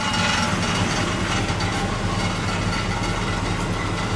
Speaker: now we're gonna go for ride the old brown truck which has a rattle in the muffler